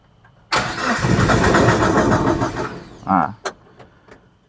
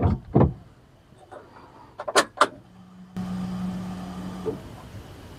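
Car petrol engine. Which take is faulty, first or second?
first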